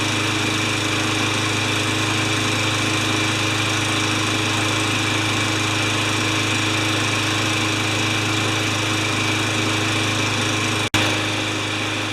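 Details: Craftsman 20-inch side-discharge mower with new air filter and clean gas, on a start test to see if it stays running five minutes: small engine holds a steady, even buzz with no surging or dying off; normal healthy running.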